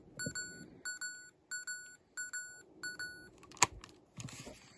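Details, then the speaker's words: Sony Handycam DCR-HC19E camcorder from about 2004-05, faulty tape mechanism after failed repair: repeated short high double beeps about every 0.7 s, no motor whir heard, tape shows no tape and ejects sluggishly; mechanism not running, left unrepaired. "I'm going to say the verdict on this thing is it's [ __ ] because it's not doing anything. I can't hear the mechanism either."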